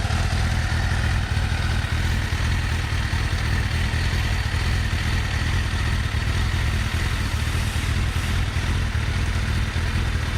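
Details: Kawasaki ZX6R Ninja inline-four after replacing coil packs and HT leads to cure a clicking sound: steady, even rumble with no misfire stumbles or popping; ignition sounds healthy, normal running.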